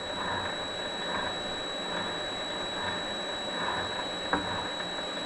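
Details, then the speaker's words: Vevor MX400 mini lathe after tensioner pulley improvements, speed turned up: a quiet even motor hum with a faint whine and light gear chatter, no pulley noise or knocking; runs very well. "seems to be running very well on that"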